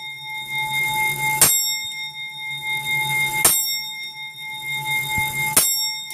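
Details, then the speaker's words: Grandfather (longcase) clock just set up: clear bell strikes about every two seconds, each ringing and fading evenly, after a very slight clunk as the clock selects the strike; strike train working normally. "and you'll hear a clunking noise on this one it's very very slight what that is is the clock is actually selecting the strike at the back"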